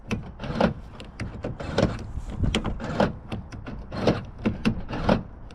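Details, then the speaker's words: Vauxhall Cavalier GLS TD after attempted theft damage, new door lock and central locking just fitted (temporary repair); repeated solid clunks and short whirring actuations about once a second, clean and consistent; central locking cycling properly. "But it's working okay, and it starts and it moves again, so we'll put that down as a success."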